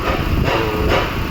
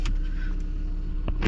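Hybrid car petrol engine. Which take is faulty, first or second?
first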